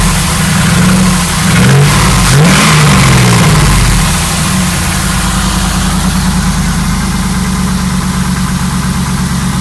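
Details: LS1 V8 at idle and on blips with steady light tapping, roughly four a second; suspected piston slap, unconfirmed.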